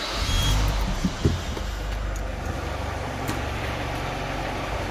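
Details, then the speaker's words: Peugeot 307 CC 2.0 16-valve petrol at idle: quick uneven puffing tick in time with the engine, compression escaping; suspected loose spark plug under the coil pack, to be checked. "voilà on a un petit bruit de perdre de compression comme vous pouvez l'entendre là"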